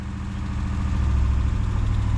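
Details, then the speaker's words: Gen4 Ram 1500 Hemi V8 parts truck that sat a long time, slightly warm, idling with a fast, steady drone. The high idle's cause is unknown, and manifold gaskets are on order. "it made a little bit of noise on initial fire but I'm not sure why it's got such a high idle off GetGo"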